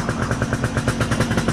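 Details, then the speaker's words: Gilera Runner 180cc two-stroke scooter with a newly installed Smartcarb SC2, mixture leaned out five more steps: fast, even pulsing at an idle sitting higher than normal because of the leaner mixture. "you hear the idle's higher now because it's leaner."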